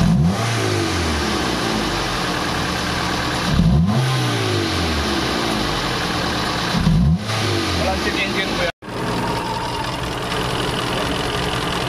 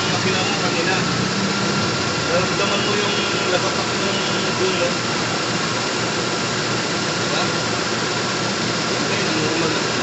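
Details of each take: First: Toyota GLI 4A-FE engine with hard starting, idle rising cold and dropping hot, stalling on shifts: revved, a busy uneven clatter on one side rising with revs; cam sub gear suspected. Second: Toyota Corolla GLi 4A-FE after repair: even, steady idle with no knocks, misses or shake; shifting into reverse and drive now fine; normal idle.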